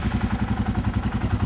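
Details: Royal Enfield Himalayan at 13,392 km, just after valve clearance (tappet) adjustment, exhaust sound: even, regular single-cylinder thump at idle, about eleven pulses a second, no tappet tick; healthy idle, occasionally backfires.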